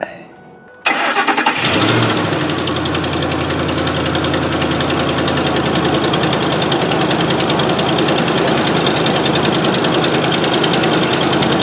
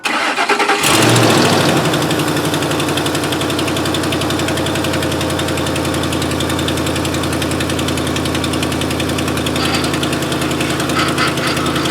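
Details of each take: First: 2005 Ford F-150 FX4 with finned power steering cooler, after replacing cooler-to-reservoir return hose and topping up Mercon V: engine cranks, catches and settles into steady idle with no pump whine or groan, no leaks; normal power steering operation. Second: 2005 Ford F-150 with tow-package finned cooler after replacing power steering return hose, fluid low before refill with Mercon V: engine idles with steady droning groan, pump straining on low fluid.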